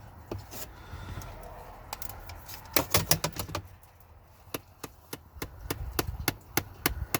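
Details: 2011–2014 Ford Explorer: light, uneven plastic ticks, roughly three a second, engine off, from behind the glove box when the car is turned on or off; an actuator behind the dash is clicking, confirmed by unplugging it.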